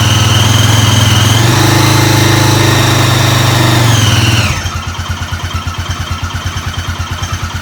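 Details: Honda 400EX rebuild, first start after assembly: single revs hard, then drops to a lumpy idle near three beats a second with an odd tick; possibly valves.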